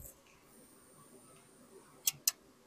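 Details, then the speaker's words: Power station charging from another generator's AC output: two sharp relay clicks about a fifth of a second apart over near silence, screen blinking; input relay cycling as charge protection trips on not-clean-enough power. "It's kicking on and off. Hopefully, you can hear it clicking on and off on camera."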